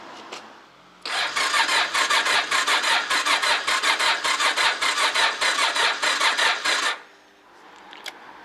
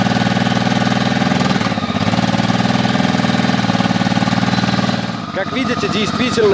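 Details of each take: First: Honda motorcycle after 2.5 months standing outdoors in mid-November, battery at about 11.7 V with a fuse pulled: about six seconds of sluggish labouring cranking that never fires; slow crank no start from weak battery, to be charged. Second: Honda motorcycle that stood 2.5 months into mid-November and wouldn't start on a weakly charged battery (11.7 V): once charged it catches with a quick even putter and settles into a steady fast idle on choke, running normally.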